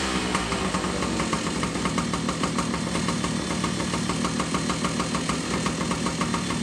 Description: So I tore it down, went through everything looking for any obvious issues, and now that it's back together, it sounds pretty good other than being pig rich because the carb was setup up with an air leak.